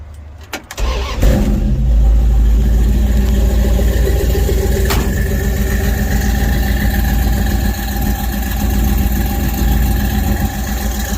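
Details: 1969 Dodge truck: a brief crank, then it catches within a second and settles into a steady, even low idle; a healthy start.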